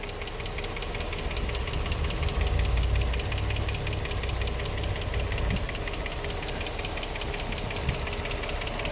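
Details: Infiniti G35 petrol V6, 109k miles, no check engine light, new cats, regular oil changes: fast, even ticking knock about three per second at idle over low rumble, louder on one bank; owner unsure if lifters or spark plugs.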